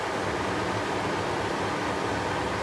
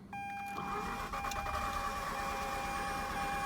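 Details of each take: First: Mazda RX-8 rotary just shut off after overheating and spitting coolant, engine really hot: steady even whooshing of the radiator cooling fans running with the engine off. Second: Mazda RX-8 rotary with days of starting problems, after overheating and coolant loss (owner suspects blown head gasket or worse): starter cranks steadily with a thin high squeal riding over it; codes crank position sensor, cylinder one misfire, low idle rpm.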